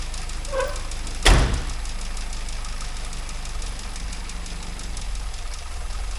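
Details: 998cc Mini Clubman, first run in years after filling the float chamber: one sharp clack then a steady, slightly fast idle with an even low beat; freshly started cold engine running smoothly on choke.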